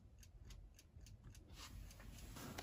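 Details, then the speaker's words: 电压力锅 (electric pressure cooker) plugged in, knob missing: faint even ticking about four times a second from the timer turning, but indicator light stays off, no relay click or heating hum; no power, cause suspected but not confirmed. "我们拧一下，你们听，可以听到里面有定时器在转动的声音。不过这边指示灯一点都不亮，没有任何反应。"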